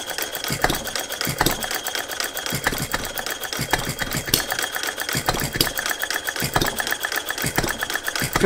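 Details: Philip Duclos Odds n Ends hit-and-miss model engine, after the cast iron rings were replaced by an O-ring piston: sharp ticking beats in uneven clusters with gaps and no steady rhythm. It runs lumpy, and the owner suspects a timing issue.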